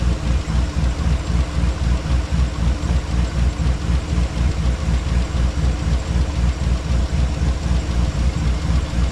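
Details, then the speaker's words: Chevy Tahoe at operating temperature, before an engine flush: steady, even idle pulse about 3–4 per second with no ticking, quieter than when cold. Owner suspects the oil pickup tube clogs when cold. "So the engine's up to temp, and as you can hear, it got a little quieter."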